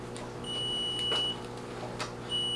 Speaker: if you do hear the beeping in the background it is just alarming letting you know that it is not set up and ready to go